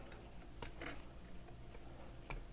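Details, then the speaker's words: Brushless motor of a KAMOLEE mini pressure washer pump (monoblock), three control wires; impeller turned slowly by hand gives a few soft, uneven ticks as magnets snap past detents, normal brushless magnet cogging. "Motor, दोस्तों, बिना ब्रश के है, यह मेरे प्ररित करनेवाला को घुमाने के तरीके से देखा जा सकता है, यानी, आप मैग्नेट के काम को सुन सकते हैं,"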